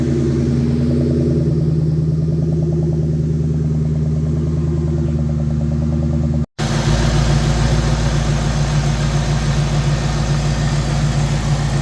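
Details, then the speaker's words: 2004 Mustang Cobra, Eaton M112 supercharged V8 on a startup tune, warming up with coolant temp rising: smooth, even burble, idle coming down to about 800–850 rpm, no knocks, misses or hunting. "No signs of leaks. Idle's coming down. Probably at about 800, 850 right now."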